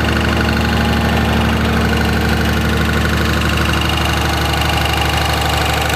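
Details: 2004.5 Ram 2500 Cummins diesel idling: pronounced, even knock about three beats per second over the clatter; heard in reverse when the truck bounces on brake release, goes away at idle in park; source not pinned down.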